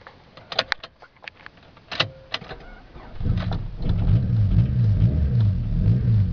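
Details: 1999 Honda Civic: a few clicks and clunks, then the starter cranks steadily at a low, even churn but the engine never catches; crank, no start, cause unknown.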